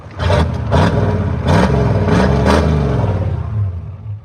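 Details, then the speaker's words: Old Ford diesel truck revving and settling with low rumble and faint uneven clatter, catches itself; slight air intrusion in the fuel but runs well. "see got a little bit of air intrusion but she's a good runner very good runner"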